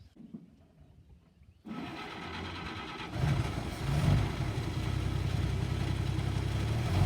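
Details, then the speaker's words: Chevrolet C30 Blitz / CMP military truck (about 1943), inline six-cylinder, sat 20 years, running on fresh fuel from a temporary tank (main-tank fuel stale, fuel pump untested): quiet cranking catches at once, settling into a smooth, even idle with no knocks or misses; healthy start-up. "so there we go everybody sitting for 20 years with just a few basic little checks starts and runs runs beautifully listen to that sound of the six cylinder chevy engine"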